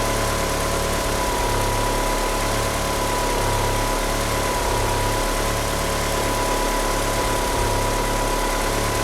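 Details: Car fitted with 850cc injectors, at idle: a loping idle with irregular dips in the beat and a faint steady squeal from the slipping power steering pump belt. The car won't rev up. Rough idle from oversized injectors.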